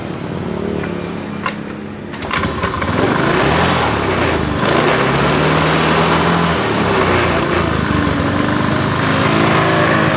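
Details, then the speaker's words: Honda Beat ESP scooter with weak battery, after refuelling and confirming spark: engine catches on the starter, then runs rough with a wavering uneven pitch and dies when throttled, lights flicker; battery and injector checked next. "Coba kita starter bisa hidup tapi langsung mati juga."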